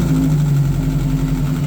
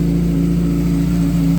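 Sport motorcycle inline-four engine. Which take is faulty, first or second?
first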